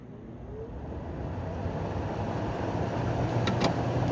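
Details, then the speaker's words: 2009 GE window air conditioner model AEW05LMS2, 115 V, R22, six-blade fan, outdoor fan set to low: low hum swelling gradually over a few seconds as the fan motor spins up smoothly, no scraping or rattle; normal fan motor startup. "Motor has a neat startup sound, doesn't it?"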